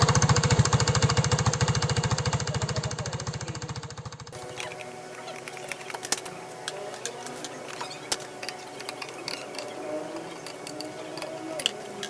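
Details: RUSI RFi 175 engine: hard, regular hammering about three beats a second for four seconds, then the engine cuts out; knocking, cause not yet pinned down.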